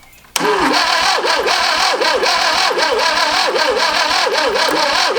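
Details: Barn-find 1971 Fiat Spider 850 four-cylinder, unrun for about 30 years, cranking on sanded points with starting fluid or gas: rhythmic wavering churn, then sputters and catches unevenly.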